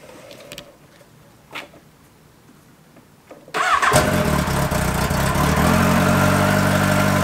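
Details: Yamaha XJR motorcycle after oil-leak repairs, carburettor synchronisation redone and idle adjusted: cranks and catches at once, settling into an even steady idle with no puffing or ticking at the headers; the earlier noise is gone.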